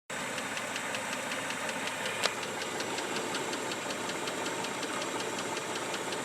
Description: Noise emitting from motor after less than 60 miles of driving.